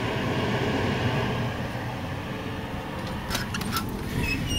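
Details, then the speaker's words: Rescued Whirlpool electric clothes dryer, cleaned of lint, first test on auto-dry and warming up: low steady drum tumble with a smooth motor hum and no squeal or scraping. It runs healthy, quieter than the old dryer. "and as i figure it sounds just like the other driver running except in better condition doesn't sound nearly as bad when starting a gut versus the old one"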